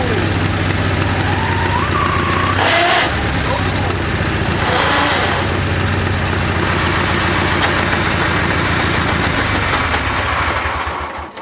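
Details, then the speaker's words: Mule with a Peerless 930 transaxle after hard off-road use: engine drones steadily under a rough, gritty grinding in all gears including reverse, suspected damaged gearing; transaxle gear grinding. "anyway so I was beating on it yesterday uh the transaction started making some ugly ass noise"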